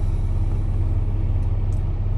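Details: Truck diesel idling during pre-trip in-cab inspection: steady, even low rumble with no knocks, misses or surging; gauges normal, voltmeter 14.1 V showing alternator charging, air pressure 100-125, no warning lights.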